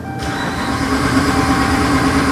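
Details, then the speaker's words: 2012 Ram 2500HD 5.7 Hemi crank no-start, P0685, from a fault in the TIPM ASD relay control side; check engine light flashing, RPM signal present: starter churns the engine over steadily throughout but it never catches. "and we're going to confirm the condition by cranking it"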